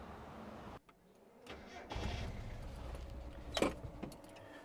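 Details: Miata with code 1 fault, after replacing a broken part in engine bay, battery low: key jingle, short crank, catches briefly and dies within seconds; owner suspects ignition switch shorting air-fuel meter system.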